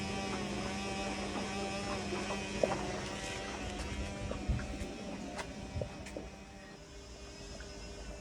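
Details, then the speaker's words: Indesit IWDE126 integrated washer-dryer after repair, standard wash cycle: low steady motor hum, water sloshing and light knocks as the drum turns; running normally so far. "You can hear the water sloshing around inside. So that seems to be running fine for the moment."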